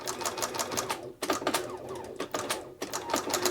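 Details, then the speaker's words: Bernina 930 Record Electronic sewing machine, basting stitch not unlatching the needle bar: sharp, hard clacks about six a second, too clacky; suspected engaging mechanism needing lubrication, not confirmed. "all right and it sounds noisy doesn't sound right too too clacky so this needs a bit of attention there"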